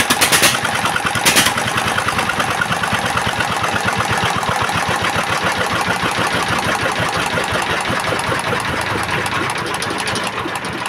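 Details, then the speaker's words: S1125 single-cylinder diesel after repair of its hard knocking from running out of oil: even, steady chuff at idle with good oil indicator and no knock on the firing beat; normal idle. "Dan untuk suaranya sekarang sudah bagus, tidak ada suara notok-notoknya lagi."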